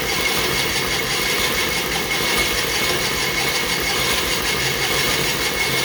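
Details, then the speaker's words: John Deere Model R pony motor, first start after reinstall, after readjusting the metering fuel valve (no throttle): rough hissy cranking with occasional ragged pops, catching now and then but not running. Intermittent firing while cranking. "Well, we're getting some pops. We might be getting close."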